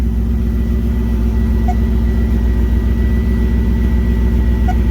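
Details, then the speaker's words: Drift Corvette V8 at its first start after new Bosch starter, cold before warm-up: deep, steady idle with even beat and no knocks or ticks; running fine with about 50 psi oil pressure at idle. "Decent oil pressure for idling. Making 50 pounds of pressure."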